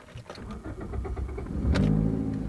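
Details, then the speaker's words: 2005 Toyota Corolla, 1ZZ-FE engine, manual transmission, cranks, catches and settles into a loud raspy low rumble from an exhaust leak, which can confuse the oxygen sensors and set odd codes; otherwise runs fine. "can hear the exhaust leak. It's a racing Corolla. And realize if you get an exhaust leak like that, it's going to confuse the oxygen sensor system by having unregulated air going out of the exhaust."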